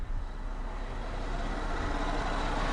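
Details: 2001 Toyota Sienna with crank-no-start after the owner cleaned underneath, after replacing a blown 15 amp fuse: brief crank, then picks up into a steady, deep, even rumble; starts normally, though the cause of the blown fuse is still undiagnosed.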